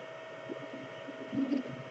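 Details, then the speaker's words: Anycubic Chiron 3D printer: a faint hum with short, intermittent low buzzes when the Z axis rotates, from the Z-axis stepper motor. Stepper motor buzz. "you can hear that little buzz every now and then"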